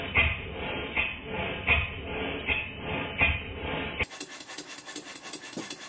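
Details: Model steam engine for a Stuart 504 boiler plant after valve timing was reset for early admission before bottom dead center: even exhaust beats, a little over one per second, running faster and more powerfully.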